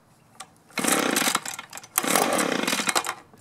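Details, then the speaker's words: Echo two-stroke blower that starts, runs briefly, then dies, fitted with an aftermarket carburetor, new spark plug and new fuel filter: catches and revs about a second, then sags and dies twice; debris found gumming the carburetor. "okay we got a new spark plug we've got our new carburetor but we had to take it apart and we found debris in there that was gumming that up and these aftermarket carburetors uh they're a little iffy"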